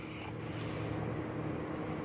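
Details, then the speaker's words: 2008 Honda Accord 3.5 V6, rough shaking idle with uneven lumpy stumbling drone; codes P0301, P0304, P0300 (cylinders 1 and 4 plus random misfire), check engine and oil lights on; tune-up likely needed. "we got some codes here the vehicle shaking rough idle"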